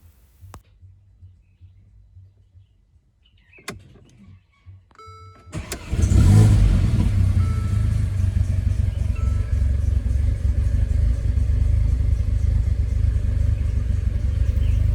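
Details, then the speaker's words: Mercedes A45 AMG rebuilt engine after exhaust cam timing was reset: brief crank, catches on first turn and settles into a steady, even low idle, showing correct timing; some fault codes and misfires were logged. "So the engine started and the timing was right. You can hear on first kick. If your if your timing is not right, hey, it will take time to start."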